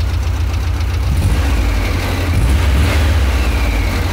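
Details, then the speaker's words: Carbureted car on CNG, cold engine running about 2 minutes: deep, steady idle with a faint, light tapping; valve tap, needs valve adjustment. "Esse barulhinho da batidinha de válvula, porque eu preciso fazer uma regulagemzinha dela e ela tá fria, eu acabei de ligar ela."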